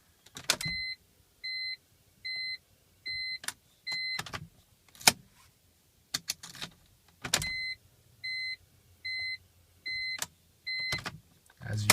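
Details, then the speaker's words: 2002 BMW 325i that won't crank even though battery, alternator and fuses tested good: key-on gives a chime beeping about once a second with clicks, a faint hum from the left side and no cranking; owner suspects the starter or ignition switch. "see the car does not start it's not turning over there's no noise um it's pretty quiet all I get are lights"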